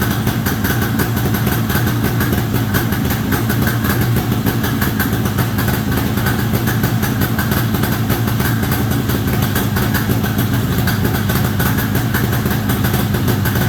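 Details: 1973 Columbia snowmobile two-stroke, after reconnecting the crankcase pulse line to the rebuilt diaphragm carburetor. Popping along at a fast, steady idle with crisp, even firing and no cut-outs: normal idle.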